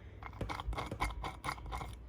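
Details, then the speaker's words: Rear wheel bearing of a 2000–2004 Ford Focus SE with drum rear brakes, about 20 years old, spun by hand: gritty scraping rasp in uneven pulses every turn instead of a silent spin; pitted race, likely from water corrosion. "And it's not supposed to be like that. It's supposed to be nice and smooth. You're not supposed to hear anything."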